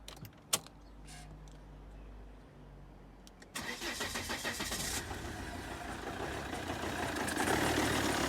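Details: 2010 Volvo XC90 2.4 D5 (Euro 4 EGR setup), cold start: cranks, catches, then lumpy stumbling idle lacking five-cylinder thrum, often cutting out until warm; no codes, injectors test fine, EGR and intake cleaned without change, uses oil.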